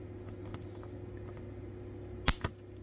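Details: Nvidia graphics processor powered directly from a buzzing transformer: low steady hum, then a sharp crack and a smaller snap as the chip blows from the short circuit.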